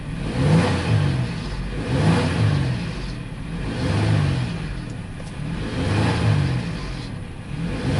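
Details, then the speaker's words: 2002 Ford Explorer that cranked but would not start, now running rough, smoking and lean, injectors checked okay: idle swells and sags about every two seconds with a low uneven chug; misfire, suspected fuel pressure problem. "this thing got a misfire a very bad misfire cooling engine Miss fire"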